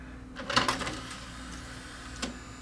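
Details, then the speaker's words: Panasonic DMR-E20 DVD-RAM/DVD-R recorder, about 20 years old, powered on showing no disc: short burst of whirring and clicks then a faint tick from the tray drive; disc tray loading belt slipping, to be replaced; micro switch also possible. "ah hear the belt slipping okay so we're going to change the belt"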